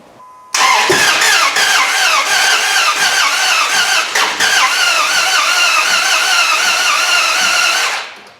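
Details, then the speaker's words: 4.7 HO V8 from a 2003/04 Jeep Grand Cherokee swapped into a Dodge Ram 1500 with JTEC ECM, fuel pump relay unplugged: loud, uneven, clattery cranking with no start; owner suspects bent valves. "hello guys making a funny noise like i don't know if it's probably does have bent valves it just don't sound right"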